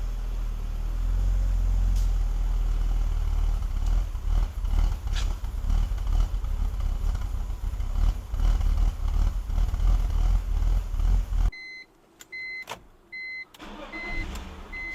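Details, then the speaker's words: BMW E46 330i, cold start: loud, lumpy idle with uneven stumbles and clattery beats; codes for misfires on cylinders 1, 5, 6, lean mixture bank 1 and EVAP leak; crankcase ventilation (CCV) breather suspected, not confirmed. "so overall we're looking at lean codes as well as some misfires chopped in"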